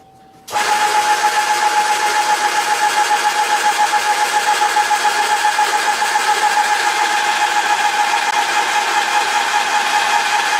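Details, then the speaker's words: Graco ProStep airless sprayer priming paint after cleaning, pump arm in paint and prime arm in water, held on prime: a steady motor drone with rapid pump pulsing. The motor note changes slightly as paint comes through; normal priming. "So I held it on prime for a little bit. You can just hear the motor change a little bit, and then you can sort of tell when it's going to start coming out."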